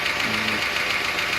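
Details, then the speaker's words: USMC M38A1 jeep idling ~700 rpm after new points and condenser, timing 5° BTDC, dwell 42; light quick tapping over slow idle, owner suspects loose valve needing adjustment; ticking at idle. "Sounds like you got a valve that's loose. Gonna have to readjust that sometime, but I really don't have time to do it before the show."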